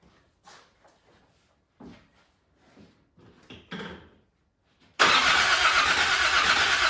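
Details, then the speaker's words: Land Rover Defender 90 Td5 diesel, first start after top-end rebuild, primed: steady loud cranking churn with no firing, sounding almost ready to catch; not started yet. "It didn't sound bad. It sounded like it was almost trying to catch. So I'm hopeful. I don't want to burn out the starter motor, but I'm hopeful it'll run."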